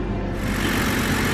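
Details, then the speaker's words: Steady, even idle with a smooth low hum and no knocks, ticks or misses from a 2009 BMW 328i just started, coolant warning light on and a leaking radiator suspected; engine itself sounds healthy. "sounds really healthy though so at the very least maybe"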